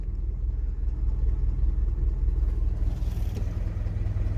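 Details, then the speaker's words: 1992 Holden Rodeo, Isuzu 4ZD1 four-cylinder, first start in a week: engine lumbers unevenly at a low rumble, about two and a half uneven beats a second; owner suspects it is running on only two cylinders. "somewhat runs. Might only be running on two cylinders, but it's running."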